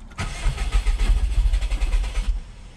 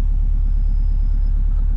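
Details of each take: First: Bugeye Subaru WRX cranked after a Deatschwerks 200 fuel pump swap, with an earlier running issue still unfixed: the starter churns in even pulses for about two seconds, then the engine stumbles and dies; hard start, possibly the pump not yet primed. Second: Subaru Bugeye WRX just after swapping in a Deatschwerks 200 fuel pump, as a dead pump might cause its running issue: low even idle rumble with no misses, knocks or surges; slight pump hum, no fault noise evident.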